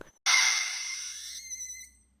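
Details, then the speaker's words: Carevix cervical suction device (used for trans-cervical procedures such as IUD insertion): a sudden airy hiss with high whistling tones that fades, showing the suction head is drawing in air instead of tissue; advice is to reset and not place the head too close to the cervical canal. "si vous entendez un sifflement vous aspirez de l'air et non les tissus comme vous l'entendez maintenant"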